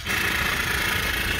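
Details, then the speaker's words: PBL Industries FP12 fuel transfer pump on a Weekend Warrior LE3305 trailer, after repairing gears that stuck and blew fuses: an even, steady high whirr with no grinding, and it is pumping fine. "mean it sounds like it's pumping fine"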